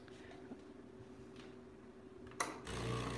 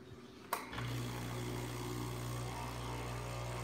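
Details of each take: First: Breville Barista Express espresso machine, earlier making a noise at startup: a click, then a steady low pump hum with no rattle or odd noise; pump working fine. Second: Breville Barista Express espresso machine: sharp click, then steady low electrical hum with faint buzz as the pump starts when the button is pressed; intermittent funny noise, cause undetermined.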